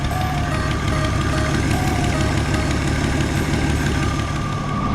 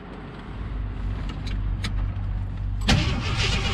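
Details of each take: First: 1977 Jeep CJ7 Renegade, revived after sitting 9-10 years, warmed up and idling roughly: thin steady alternator whine that goes away when a ground is pulled, with voltage dropping slightly. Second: 1977 Jeep CJ7 Renegade that sat 9-10 years cranks with a firm chug and fires after its ground cables were suspected; starter working normally, engine starts on its own without fuel prime.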